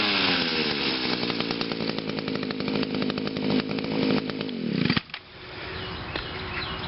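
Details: Echo two-stroke on a cold start after sitting about three weeks, first-pull start, no attachments fitted, crisp steady high-pitched buzz held at high revs then dropping off cleanly; normal high-rev run.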